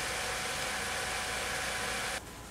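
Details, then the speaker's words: Radeon HD 4350 graphics card with its failed stock fan removed, cooled by a separate loose fan placed beside it, which runs loud with a steady airy rush on high speed and cuts off sharply; noisy cooling fan on high speed. "it's also quite noisy as you can hear right now that's on its low speed setting on its high speed setting"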